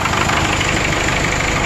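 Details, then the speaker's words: 1996 Vermeer SC1102 stump grinder, 3.9L Cummins 4BT turbo diesel with low power and oil from the breather: loud, rough idle with heavy chuffing and uneven knocking; blow-by from worn rings, with cylinder 4 suspected not firing. "got some bad rings but uh i'm gonna put my temperature gauge on to see exactly which one's not running"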